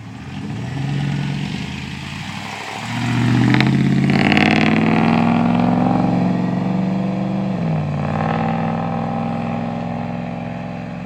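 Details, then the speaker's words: 2007 Chevy 2500 pickup work truck, 6-litre engine, with a newly fitted Flowmaster FX exhaust replacing a rattling old system; driving away and cruising, deep even rumble rising and falling smoothly, no rattle or buzz; normal healthy exhaust note. "sounds good well we'll see y'all later"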